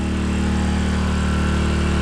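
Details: 800 W (1000 W max) 4-stroke gas generator in Thailand running a 5000 BTU upflow air conditioner: steady low drone at constant speed, no surging or misfires; it handles the load fine.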